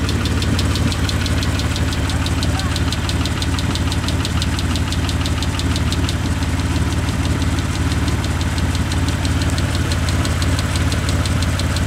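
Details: 1998 Mitsubishi 3000GT SL V6 at idle: steady light lifter tick, three or four a second, over a loud rumbling idle made louder by a small hole in the upper exhaust; both later fixed.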